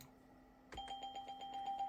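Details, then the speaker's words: Windows 98 startup chime on a 1998 Gateway G6-400XL (400 MHz Pentium II) with a swapped-in sound card stutters in quick repeated bursts, about nine a second, instead of finishing; same fault as before, card suspected, later replaced. "yeah well I guess these sound cards are just no good for some reason and I don't know why"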